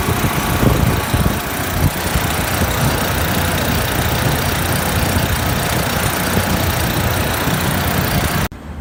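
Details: Refrigeration compressor after condenser coil leak repair, head pressure below 170 psi, running with heavy rough low drone and constant shudder; excessive vibration, net oil pressure about 20 psi, headmaster bypass suspected, cause not confirmed.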